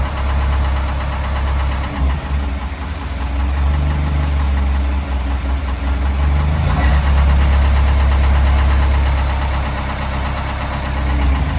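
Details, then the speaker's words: Rebuilt Kubota V2203 diesel repowering CL45 skid steer, first run: heavy low idle with steady rattling knock about three beats a second; owner suspects bearing damage from long cranking, unconfirmed; alternator not charging. "Doesn't sound too good. All right, well, something's bad rattling in the engine. Definitely doesn't sound good."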